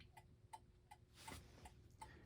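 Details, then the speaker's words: 1960s Gothic mantel clock with an Urgos movement, previously out of beat and corrected by tilting the case: quiet, even tick-tock, one beat roughly every 0.37 seconds with matching spacing on both sides. Clock now running in beat. "And one way to correct something like that is you actually have to tilt the clock. So, if I raise it up, it just started going on its own. And I think you can hear a steady tick-"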